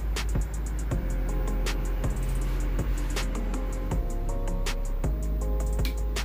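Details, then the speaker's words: Powered speaker after replacing the failed TDA2030 IC that caused a hum: plays drum-heavy music cleanly and loud, with no steady hum. "Setelah penggantian IC TDA ya, 2030 ini ya, kita coba apakah suaranya masih mendengung ya. Kita coba colokan. Oke, suaranya sudah ada ya."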